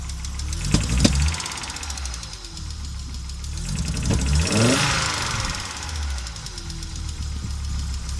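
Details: Audi Coupe after an NG-to-AAR engine swap: hard starting, many misfires, and it stalls while driving. Uneven, lumpy idle with irregular thumps, revs swelling and sagging. Misfiring and running rough; cause unknown.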